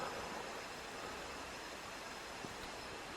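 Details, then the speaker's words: Engine off, on compression stroke during a cylinder leak-down test after repeated failures: steady thin airy hiss of air escaping cylinder two, higher leakage than cylinder one's 20 percent; cause unconfirmed, owner suspects fueling, blocked injectors or cooling. "this is cylinder two yeah i don't know if you can hear that but the air is coming out of there"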